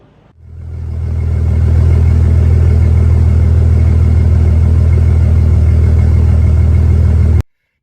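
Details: Jeep WJ Grand Cherokee 4.0 just fired up after installing Scorpion 1.7 ratio roller rockers that had been pre-soaked and oiled; a steady deep run with no ticking or clatter from the valve cover; normal idle.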